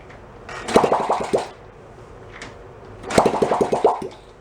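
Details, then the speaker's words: 1972 Honda CT70 Trail 70, stored 20+ years, carb cleaned, no muffler, choke set uncertainly, fed from hanging fuel bottle: two short bursts of sharp pops then quiet; fires and sputters but won't keep running. "I'll fire it up. I do. That should be pretty poppy with no muffler."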